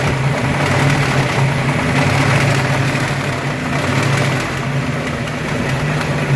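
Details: Ford 302 5.0 V8, never run before, idling: loose uneven knocking about three or four per second; persists with belts off, unchanged pulling each plug wire; owner suspects piston slap, broken wrist pin, timing chain or torque converter area, unconfirmed.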